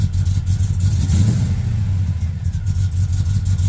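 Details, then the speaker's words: Truck engine revving after map sensor replacement, spark plug suspected: deep lumpy rumble with uneven pulses about three per second; stumbles, running rough; battery disconnect planned to reset computers. "yeah no this is nasty it's still not happy"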